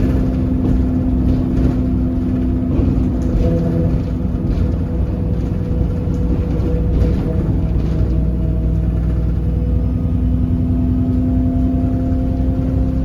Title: Enviro 300 weird engine sound filmed on 27631